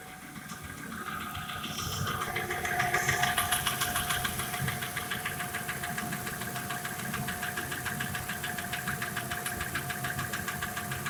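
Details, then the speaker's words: Audi A6 2.6 V6 (ABC engine), petrol, recently rebuilt (bored block, new pistons, rings, bearings, heads ground), knock appeared soon after: sharp, even ticking knock about 3.5 per second at steady idle, heard near left head around cylinder six; cause unknown. "Но появилась вот такая проблема. Стук в районе левой головки. Ну, так на слух где-то шестой цилиндр, в районе шестого цилиндра."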